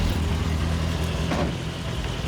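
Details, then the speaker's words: Turbo Miata warming up before its baseline e-tune, with the wideband not yet working: a steady, fairly even idle with a smooth low beat and no obvious stumble; it already sounds much better and idles properly. "Yo, that already sounds way better. Yeah, I'm just watching it warm up."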